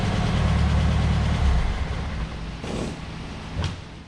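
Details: 1973 VW Beetle, air-cooled flat-four, after installing a remanufactured Bosch 034 distributor (Pertronix kept failing; new coil, plugs, wires): first-gear takeoff, barely on throttle, deep even note pulls away smoothly with no stumble, almost fuel-injected; normal acceleration.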